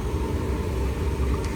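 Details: Jandy JXI400 pool heater, repaired with a new Jandy interface controller, relit after being turned back on: steady, even low roar with a faint constant hum and no popping or sputtering; the burner is lit and firing normally.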